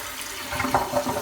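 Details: Toilet after replacing the fill valve to fix noisy running: a short rush of water draining, then a smooth, even refill hiss with no squeal or hammering; the flush and fill are working normally.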